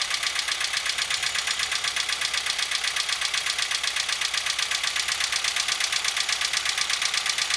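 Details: Engine knock with a diesel-like clatter: sharp, steady ticking at about four per second over the idle; the cause turned out to be the rocker arms.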